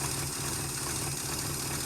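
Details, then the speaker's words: 1971 Chrysler Newport 440 V8 with an epoxy-patched cracked block, run with no coolant to cure the epoxy: steady, even low rumble with no missing or knocking; runs well. "Fart up. Ooh, runs good."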